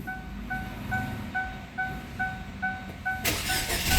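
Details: Chevrolet Sail with defective BCM/ECU, after repair: steady chime beeps, then the engine fires on one crank and settles into an even run; healthy start, though check engine light still on and blinking, BCM or ECU suspected.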